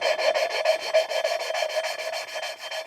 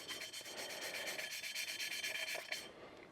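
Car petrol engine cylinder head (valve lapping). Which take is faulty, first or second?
first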